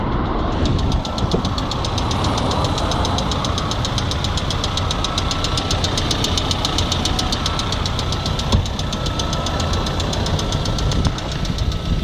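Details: Lada Priora, oil and filters changed, owner unsure whether hydraulic lifters or piston/rod group: steady rapid light ticking about five a second over a rough idle; engine knock, cause not confirmed.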